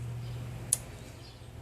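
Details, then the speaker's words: 1982 Yamaha XJ550 Maxim, key on, kill switch flicked, cutoff relay under the seat: two sharp, crisp clicks about a second apart over a low hum; relay engages cleanly, normal. "now I'm going to have the key in I'm going to start hitting the kill switch and you'll hear that relay engaging"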